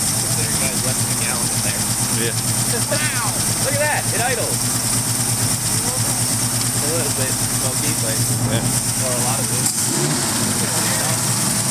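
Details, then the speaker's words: Ford Mustang V8, freshly unseized, burning off Marvel Mystery Oil: steady lumpy idle, even beat, constant hum under voices and hiss; sounds healthy. "oh this thing sounds sick"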